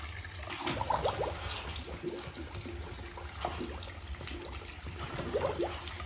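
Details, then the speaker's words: Hydronic boiler zone bled backwards from the supply side (return has no shutoff valve) on a no-heat call: irregular gurgling and sputtering as air pockets blow out the bleed hose. "look at that air look at the hoses kind of convulsions that's the air"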